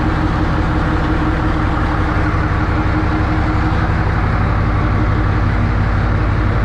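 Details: 1963 Diamond T 931-CN cabover semi diesel, first run after sitting one to two years: steady even idle with regular low thrum, no knocks or misses; healthy, settled engine.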